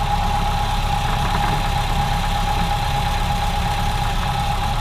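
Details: Ford Model A idling rough with irregular stumbles and exhaust pops: a clogged fuel line caused a lean mixture, power loss and constant misfiring after about three minutes of driving, with explosions in the exhaust.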